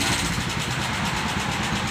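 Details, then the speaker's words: Honda Phantom 200 motorcycle, suddenly loud after stalling and restarting, no power: idling single-cylinder with loud harsh clatter; cracked rocker arm striking the piston. "ขี่อยู่ทุกวันใช่มไม่ใช่ขี่เครื่องเงียบๆอยู่ทุกวันอยู่อยู่ก็เครื่องดังเฉยเลยพอมันขาวเครื่องดังเลยเฮ้ยไม่มีแรงเลยไงยังไม่รู้ไม่มีแรงบิดไม่ออกด้วยลูกสูบทำเ่าการก็คือกระเดื่องแตกต้องเปลี่ยนลูกต้องคว้าเปลี่ยนลูกด้วยครับกระแทกมันก็โดนลูกสูบ"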